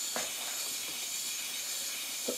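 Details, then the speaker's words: 5-inch gauge Stirling Single steam locomotive running on compressed air, in neutral: a steady high-pitched hiss with no chuffing, air leaking around makeshift electrical-insulation tubing used as the supply pipe. "the compressed air that you can hear is simply leaking from um around these uh this rubbish uber that is not really rubber tubing it was electrical insulation offer electrical wires that's where most of that is coming from"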